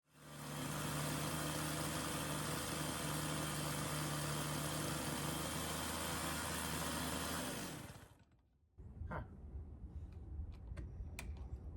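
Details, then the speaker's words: Sachs-Dolmar 100 chainsaw: two-stroke holds a steady, too-fast idle that cannot be tuned down even after a carb rebuild, then cuts off. "when I went to go try to tune it I could not get the idle below a certain speed"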